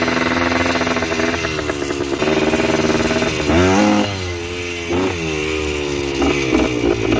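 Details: Yamaha 125 enduro two-stroke running again after fresh spark plug and fresh gas (earlier suspected oil fouling): crisp ringing buzz, blipped up and down cleanly with quick even throttle response; healthy, free-revving engine.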